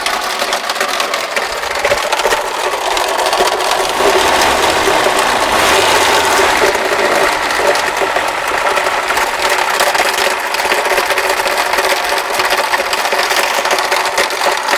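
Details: Car engine started in the garage the morning after a trip, when the noise began and grew more alarming; fast, uneven ticking about three to four a second over a hissy high-pitched engine note, an unexplained top-end rattle.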